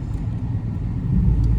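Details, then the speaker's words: 1998 Mercury Grand Marquis, sat over two years, at a car wash: low, lumpy idle sagging and wobbling as if about to die; it almost stalled, first time, a smell noticed; cause unconfirmed. "It almost stalled. It did not like that at all. It did not like that."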